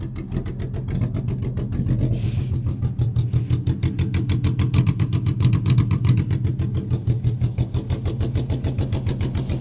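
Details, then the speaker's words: BMW E46 318i Touring after initial cranking: uneven lumpy low thumping about three beats a second, barely running on one cylinder; misfire, wiring fault suspected, not confirmed. "that said it sounds like we're barely running on one cylinder right now"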